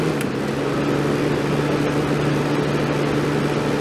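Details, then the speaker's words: 1989 Crest (Fedders) 5000 BTU Carry Cool on low fan after a few minutes on high cool, R22 full charge, about 132 watts: steady even low hum with soft airflow hiss, no rattles; unit healthy. "132 on low fan. My low fan motor used more than I thought it would. That's about right though."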